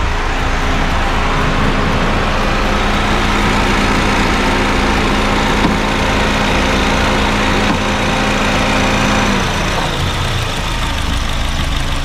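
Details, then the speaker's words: Honda Fit GD3 idling with the AC on, after adding refrigerant via the low-pressure port: the earlier compressor rumble has almost gone and the AC runs quiet and normal. Slightly low refrigerant in the compressor was the likely cause. "言わなくなりました。もうほぼね言うてません。静かになりました。"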